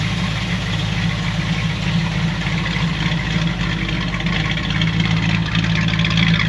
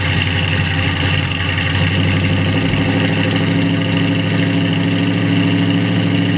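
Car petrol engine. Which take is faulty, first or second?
second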